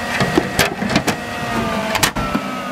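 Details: Mid 2003 dual-processor Power Mac G5 with the internal air shroud put back in: fan whine eases down in pitch over a few seconds amid handling clunks, with airflow returning to normal idle speed.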